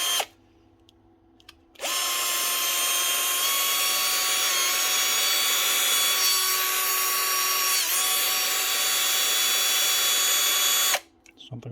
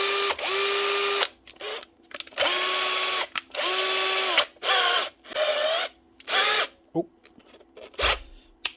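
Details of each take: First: Bosch GSB 18-2-Li 18 V DC-motor cordless drill; high steady whine for about nine seconds then stops, motor hot and smelling of burning: burnt-out motor needing replacement. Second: Bosch GSB 18-2-Li 18 V DIY cordless drill after motor replacement; short whirring bursts climbing quickly to a steady clean pitch then spinning down, healthy motor; sparking seen is from the brake stopping the motor.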